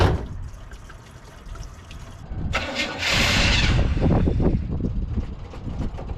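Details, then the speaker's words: Second Chevy Suburban, 2WD with a 350 V8, after a carburetor swap, running worse than it did with the other carburetor. Fires and stumbles into an uneven, lumpy idle with a hissing rush; a massive intake vacuum leak through open holes is the cause. "Man, it ran better with the other carburetor on there. I found the problem. There's a massive intake leak."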